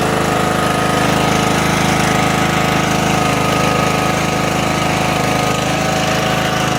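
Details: Craftsman LT1000 riding mower running after electrical rewiring: loud, steady small-engine chug at an even beat, no misses, surging or knocking. Runs normally.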